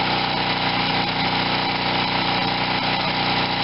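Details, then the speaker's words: Wen 4050 generator with new carburetor under a 1500 W load, under half load, output about 60.5–61 Hz after speed-screw adjustment; steady, constant-pitch drone with no surging or misses, running healthy. "this is with the 1500 watt load so it's always above i don't even have half a load on the generator yet so under a full load it would go less than this"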